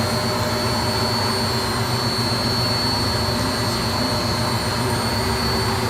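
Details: Beko D5 7101 washing machine spinning after plastic drum cut-open repair with new bearings and seal: even, steady whooshing spin with a thin high whine on top, no knocking or grinding; drum bearings running smoothly.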